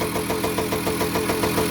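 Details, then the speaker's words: 1985 Kawasaki KE100 two-stroke, first start after years sitting, blocked carburettor cleaned, running on premix: crisp, even popping at a steady tickover with no misses or rattles; idling cleanly. "we need to find out if there's any gears or clutch or anything yeah it's ticking over"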